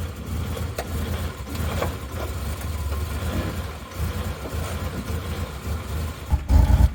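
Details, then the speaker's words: 2000 Mazda Bongo with 2.5-litre V6 petrol engine, just started: rough, lumpy low rumble with uneven beats, a heavy misfire at idle trying to stall and lacking power; ignition leads suspected, not confirmed. "There we go, you can hear the misfire right now without even revving it. It's trying to stall."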